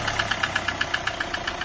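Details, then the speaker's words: Hyundai i20 at idle: sharp, regular metallic knock about eight per second over the engine; oil cooler failure put engine oil into the coolant tank, engine ran starved of oil, connecting rod knock. "இந்த மாதிரி ஆயிலே இல்லாமல் ஓட்டி, so அது ஃபுல்லாக வந்து கூலண்ட்டில் வந்ததுனால இன்ஜினுக்கு oil பற்றாமல் connect ராடோட noise வந்துச்சுங்க வண்டியில்."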